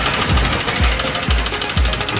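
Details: Honda car engine that ingested water while driving in rain: heavy, deep thump about twice a second from the bottom end while running; connecting rod bent by hydrolock is knocking.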